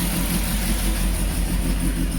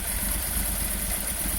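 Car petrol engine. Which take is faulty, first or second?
second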